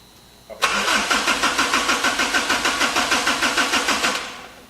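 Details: Kubota engine on a bandit, first start with the radiator refitted, red button pushed in while cranking: steady starter chugging about three times a second for several seconds, never catches; air still in fuel lines, fuel being checked.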